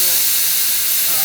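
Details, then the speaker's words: Fisher positioner during ValveLink auto-calibration with cover off: steady, even high-pitched air hiss with no surging; normal positioner air bleed, not a leak. "I think it's because they don't want you to have to listen to it hissing. Yeah. But I don't mind. It's a good good practice to get to hear this thing breathe."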